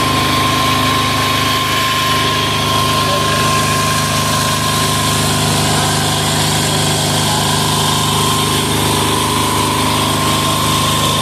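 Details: Amazon 186FA single-cylinder diesel test-running on about one cup of Road Tech synthetic blend 10W-30 motor oil as fuel, throttle about half: a steady, even chug at constant speed with a steady whine on top, no misses; normal idle.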